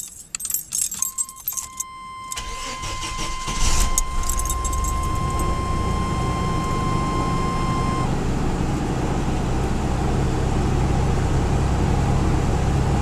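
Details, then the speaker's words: 1988 Chevrolet S10 Blazer after muffler replacement and exhaust repair: key chime, quick crank, then smooth even idle with deep quiet exhaust rumble, no rattles or leaks; normal, like original factory exhaust but slightly quieter. "sounds pretty much like the original factory exhaust maybe just a bit quieter that overall I'm happy with the way it came out it sounds nice like the original factory exhaust nice and quiet"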